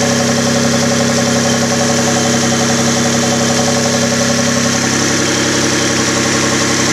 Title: Spun Bearing?